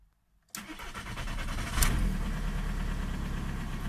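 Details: Old 90/110 hp TDI with rotary injection pump, cold in rain, after the pump was adjusted to a 2 mg fuel quantity: short crank, catches at once and settles into a steady, even diesel idle. Starts cleanly and runs right.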